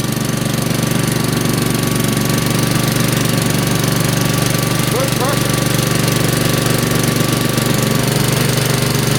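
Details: Engine, first spring cold start on choke: loud, steady, even firing at a brisk idle with no misses or knocks; healthy engine warming up.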